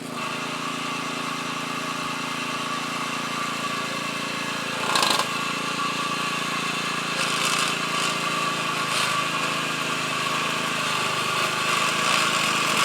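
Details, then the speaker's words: McLane edger with a flathead engine, revived after dirty carb and dirty gas: steady buzz with an even high hum and a few brief bumps, healthy running; the front spindle still makes slight noise and may need replacing. "what if they do this is a nice healthy running rig it's very rare did I get one of these all flatheads said with"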